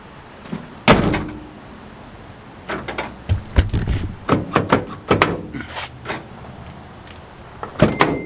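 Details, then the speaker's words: 2003 Honda Element, 150,000 miles, after reinstalling the door lock actuator parts: doors thud shut one after another, then a crisp lock clunk follows right away; the actuator engages cleanly and works on the first try. "We reinstalled all of the parts of the door actuator. We plugged it back in, so now we're gonna test it."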